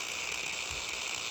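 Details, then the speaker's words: Ambition Ninja Pro tattoo machine, which crackled after two days of use, as did its replacement motor section. A high, rough buzz with a fine crackle over the motor whine, in any position, and one pusher not moving; the motor is loose in its mount. "есть схема на так трещит в любом положении"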